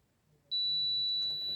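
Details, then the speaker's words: Multimeter continuity check of a fuse in a Nakamichi 481 three-head cassette deck that arrived having smoked: a single steady high beep lasting about a second; continuity present, fuse good. "But we'll do some testing first. We will check the fuses for continuity. That one's good."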